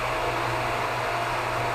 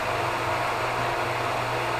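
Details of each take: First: Hot tub pump in pump room while draining the tub on backwash: steady even whooshing hum with faint constant tone, no knocks or surges; pump running normally before its sound changes. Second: Hot tub pump in pump room on backwash draining the tub: steady whir, then tone shifts and thins near the end as the tub empties; this sound change signals draining is done.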